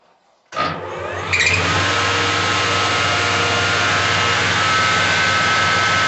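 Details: 24-volt alternator from a Mercedes-Benz 1620 truck, bench-tested with the warning lamp on: it spins up quickly and holds a smooth, even hum with a faint steady whine, no grinding or rumble. The bearings sound healthy.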